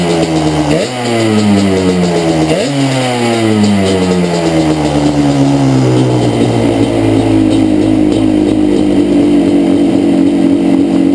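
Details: Yamaha Banshee two-stroke twin, a couple of blips then a ragged idle as if on one cylinder; left-cylinder misfire, pipe not warm at idle; carbs rebuilt, balancing attempted, air screws adjusted, problem does not follow the plug; cause unknown.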